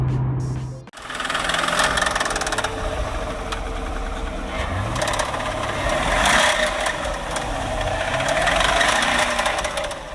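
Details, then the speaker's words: Brand new 2017 Camaro SS V8 on startup the day after hard driving: fast uneven metallic rattle over exhaust note, still has good power per owner; something internal wrong, cause unclear. "now as you can see that noise is not supposed to be there so apparently something happened with the car"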